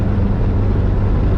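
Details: VW Vanagon with Honda K24A4 engine conversion, automatic, climbing curves from second at about 4,000 RPM: steady drone carries through the shift into third without bump, flare or clunk; smooth automatic upshift.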